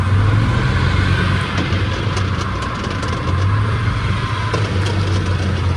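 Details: Chevrolet pickup with a 10-bolt rear end, running: a steady low drone with faint ticks from underneath, checked by hand at the transfer case and the back of the diff. A bad rear differential is suspected.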